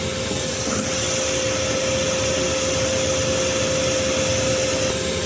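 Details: Chinese diesel heater running in a sealed vehicle, CO alarm reading nothing: loud steady airflow roar with constant tone, no surging, rattles or misfire pops; normal running.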